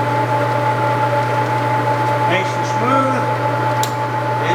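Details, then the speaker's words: Leblond 19" x 50" servo shift lathe, 230/460 V three-phase, spindle at 105 RPM: steady even hum, low drone and clean high tone, no knocks or grinding, nice and quiet; normal running. "We're running here first at 105 RPM. Nice and quiet."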